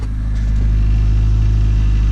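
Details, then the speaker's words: Honda running with newly installed exhaust: deep, steady, even drone with no knocks, rattles or exhaust blowing; very quiet exhaust and a healthy-sounding engine. "oh my god, it's so quiet, dude."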